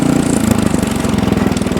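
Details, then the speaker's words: Ariens Deluxe 28 snowblower, LCT 254cc engine, after carburetor cleaning, choke off: small single-cylinder running at a steady, even idle with no knock or miss, starts right up and runs great. "Oh, that runs great. And off. That Ariens Deluxe 28 starts right up and runs great"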